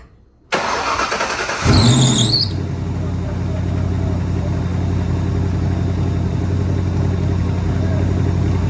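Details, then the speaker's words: SN95 Mustang competition drift build first start after swapping the bad fuel pump, no coolant in the system: short crank, brief squeal, then catches and settles into a steady, even idle with deep exhaust rumble; normal start and idle. "Um, there we go, though. It's alive. Everything is working as it should, it appears. So that is a huge victory."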